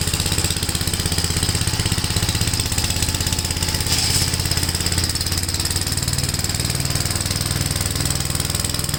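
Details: Gravely tractor with brush hog mulcher deck, PTO engaged after remounting deck and adjusting clutch: steady, even engine beat with blade spinning, no shake or clatter; runs smooth and balanced, no vibration. Normal running.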